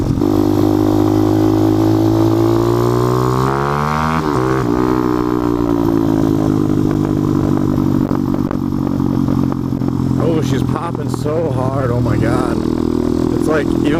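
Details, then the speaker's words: Engine revving then settling with loud irregular pops and crackles on overrun; owner says it usually doesn't do that and wonders whether there is an intake manifold leak or a boot leak, cause unconfirmed. "it's loud i can't imagine how loud it actually is it usually doesn't do that so i don't know if i got like a leak in the intake manifold or the car boot"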